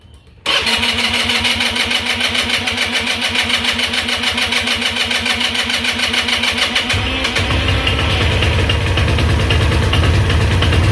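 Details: GY6 Chinese scooter engine, damaged by too much oil, on a new test spark plug, held at full throttle: ragged, uneven buzz, about three pulses a second, sagging and barely running; dies immediately when throttle released. Owner says badly low compression.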